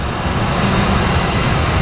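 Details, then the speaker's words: 2003 Ford F-150 4.6 SOHC V8: deep, even idle with no stumble or hiss while the vacuum leak at the PCV elbow at the back of the engine is blocked by finger; runs very rough when unblocked. "I stopped the vacuum leak with my finger and it runs"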